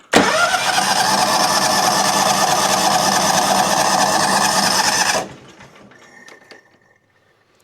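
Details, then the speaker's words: John Deere X300 that pops and bogs under load. With one spark plug wire unplugged, running only on the opposite cylinder, it catches and revs about five seconds, then dies abruptly; that cylinder won't run. "Right now, with this unplugged, we're going to be running on that opposite cylinder. So, how does it run? appears that the opposite cylinder does not want to run at all."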